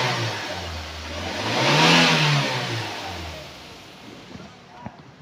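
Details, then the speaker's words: 2018 Daihatsu Gran Max pickup 1.5 being revved: engine revs up cleanly and returns to a steady idle with no misfire or stumble; it sounds normal and healthy. "nah ini udah kita geber kita blayer itu suaranya masih oke Masih normal aja enggak ada kendala juga mesinnya juga enggak brebet normal enggak pincang"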